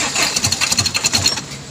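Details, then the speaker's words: Ford Ranger that was previously very hard to start, now cranking and catching roughly with heavy smoke and oil out the exhaust (turbo or engine suspected); uneven, lumpy firing, and the fault is confirmed on cylinder 1, causing the misfire. "Ito po yung confirm po natin na sa number one talaga yung problema niya kaya sobrang usok."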